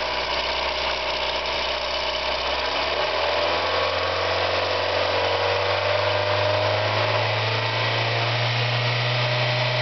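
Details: Mazda Miata engine with a light, quick ticking about four per second over the running engine, loud when engine slows and fading at high rpm; owner unsure whether it is a lifter/hydraulic lash adjuster tick, rod knock or bearing failure, not confirmed.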